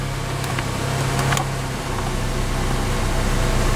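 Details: 2006 Acura TSX, about 92,500-97,000 miles, after throttle body cleaning and clearing the check engine code: steady, even low idle hum with no stumble, hunting or misfire; runs as it should.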